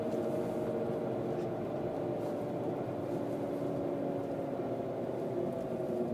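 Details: Mercedes W163: a steady, fairly high whine sits over the engine noise at an even pitch; its source is unclear.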